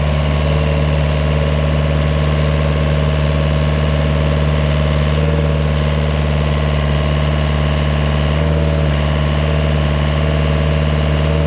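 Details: GPS-guided vineyard post driver: steady, even diesel drone held at high revs, as required when the pneumatic hammer drives posts, no misses or knocks; loud but normal operation.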